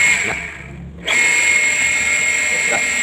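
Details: Electric water pump run primed with a palm sealed over the suction inlet to test suction strength, hand pulled in harder and harder: steady high even whine, no knocking or rattling; pump healthy.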